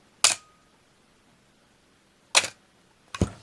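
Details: Canon AE-1 Program 35mm film SLR with 50mm FD f/1.8 lens stopped down, shutter at 2 seconds: two sharp clicks about two seconds apart as the shutter opens and closes cleanly, then the wind-on. Normal slow shutter operation.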